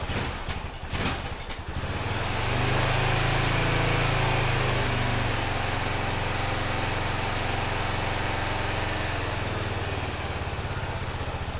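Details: 2005 Honda TRX650 Rincon, 650cc single-cylinder four-stroke, after carburetor float valve fixed; few rough catches then steady, even thump at idle with low beat; runs smoothly and fuels properly, normal idle.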